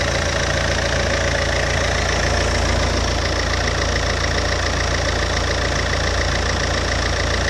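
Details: Alfa Romeo 147 JTD 140 diesel, cold: idle clatter with fast, fairly even knock about three or four a second riding over it, source not pinned down; cold engine knocking noise.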